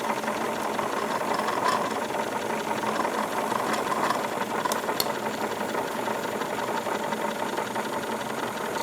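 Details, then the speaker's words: Wilesco D22 model steam engine, double-acting and reversible, boiler pressure about 14 PSI, water level correct: light, even chuffing and mechanical patter with a fine metallic rattle on top, steady throughout; normal running. "it's very very nice operation"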